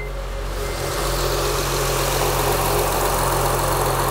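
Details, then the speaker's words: 2004 Acura TL 3.2L after engine replacement and bad spark plug found: steady, even idle with a smooth low drone and no skips; running smoothly, check engine light off; catalytic converter still clogged. "but that is running nice now very nice okay now it's running smoothly check engines light not flashing or anything not even on anymore"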